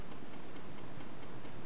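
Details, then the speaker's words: Homemade tin-can Stirling engine running on a methylated spirit burner, warmed about 30 seconds: faint, evenly spaced light ticking under low smooth running; slight ticking, cause not confirmed. "there's a slight noise to it slight ticking I don't know if you can hear it but it seems to run quite sweetly"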